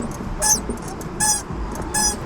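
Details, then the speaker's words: Subaru clutch pedal making three sharp, high-pitched squeaks, one with each press, from a dry linkage joint; owner plans to lubricate it with WD-40. "this sound just annoyed the crap out of me and I don't really notice it while I'm driving but in a video it's pretty apparent so I'm going to go down there and just go at it with WD40"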